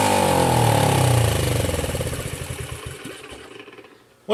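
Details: Kawasaki KLT 110 on a stand, carburetor slide found stuck and gummed; with gas primed down the carb it catches and chugs about three seconds, then slows and fades out. A puff of black smoke and a carboned plug follow. Cause suspected, not confirmed.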